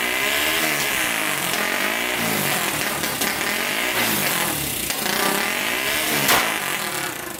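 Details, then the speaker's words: Turbocharged 1999 Honda 400ex quad single, after hooking boost lines to the carburetor, revs cleanly in neutral with a steady high-pitched note and runs much better, seemingly making boost; one hole still needs patching. "sounds like it's making some boost running a lot better"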